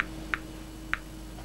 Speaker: the clicking you can hear is due to Natural background radiation radiation hits this probe and causes this box here to click